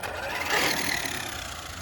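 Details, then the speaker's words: Traxxas Rustler RC car regeared with 17-tooth pinion and 54-tooth spur; harsh raspy grinding over motor whine under throttle, no full throttle, gears not meshing and stripping spur teeth, as when gears shredded before. "Alright, so last time that the gears got shredded, it was making this a little bit of a weird noise, like it is now."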